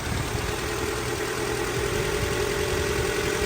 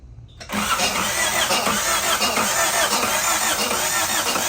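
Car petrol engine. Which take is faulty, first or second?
second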